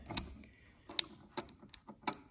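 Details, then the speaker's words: Honda HRX217 self-propelled rear-wheel-drive lawn mower after greasing the rear drive key, ratchet and spring: soft, sparse, uneven clicks as the wheel turns, much quieter than before; normal ratchet clicking. "now it should lock and you see how it got quiet it's still clicking but it's a lot quieter because now there's grease in there"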